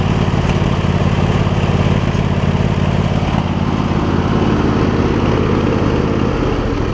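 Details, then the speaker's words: MTD Lawn Chief garden tractor V-twin, 46-inch deck, manual PTO, new voltage regulator fitted, after repair: even, steady low drone with no rise and fall, only a little pop remaining, about 90–95% right; normal running. "So I got a little bit of pop, but better. I'd say it's probably between 90% and 95%. And it's not surging up and down like it was."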